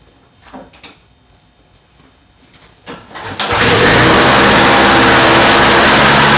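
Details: Two-stroke Toro snow blower after repair: one cord pull, fires and settles into steady high even buzz; previously needed about 20 pulls, owner suspects plugged jet was the cause, now starts easily.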